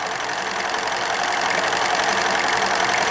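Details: Steam launch with Cheddar Proteus 4.5 cc Maudsley reversing engine; engine-driven feed pump above waterline struggles to prime, siphon-fed from a bottle, bypass valve opened; busy hissing spitting rush over quick even beat about 220 per minute; engine runs normally, pump spitting.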